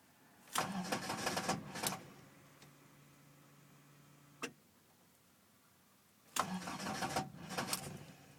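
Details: Toyota AE86 with 20V Silvertop/Blacktop engine electronics, cold start after sitting overnight or many hours: two long cranking bursts separated by quiet, engine never catches; a hard starting problem the owner gets most mornings.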